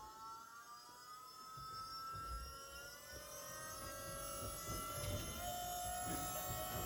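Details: Volvo electric power steering pump swapped into a Chevy S-10, switched on and turned all the way up: steady electric whine with clean tones creeping slightly higher as it reaches full speed; pump running healthy.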